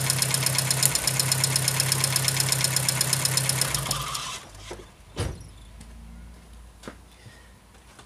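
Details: 2006 VW Gol with EA111 engine misfiring at idle, a sharp regular snap about three times a second before shutting off; spark leaking at the third-cylinder coil terminal, the plug cable showing no resistance. Plugs were replaced three months earlier and the problem returned.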